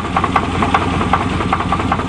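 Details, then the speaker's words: 1988 Chevy truck on a test drive with a bad crank: sharp metallic knocks over a rough idle, several a second, from deep in the block; crankshaft bottom-end bearing knock. "it's working good but not as good as that Saturn that's for sure you can't kill a Saturn oh that sounds kind of sick oh"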